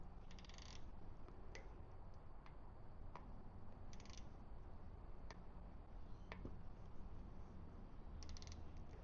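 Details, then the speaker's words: 6 newton-metre torque wrench on a 24-inch electric tricycle during assembly; quiet shop with ratchet ticks, then crisp clicks as the wrench breaks over at set torque. "So we put it in until it's tight and it does a clicking sound."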